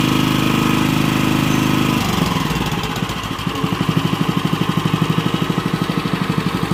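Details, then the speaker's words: Honda WL30XN 3-inch water pump engine after one year of use, oil never changed: even single-cylinder thump at about three beats per second after a speed change, with no knocks or rattles. The sound is still fairly smooth and suction is okay. "untuk ya untuk bunyinya sendiri itu masih cukup halus dan untuk sedotannya sendiri itu juga masih cukup oke ya"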